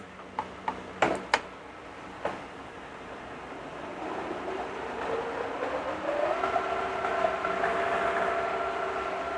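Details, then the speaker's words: First test run of the gearbox on the rebuilt machine Pearl, on power with a temporary clutch-brake lever, in 13th speed at about 822: smooth gear hum rising to a steady tone with no knocking or grinding; normal running. "that actually sounds pretty sweet that's 822"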